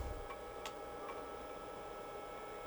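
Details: IBM PC 5150 (late 1984, Australian-assembled) power supply during restoration, first power-up with two drives attached (hard drive known faulty), fan checked good; faint steady hum with a couple of light clicks as it powers up under drive load; running normally.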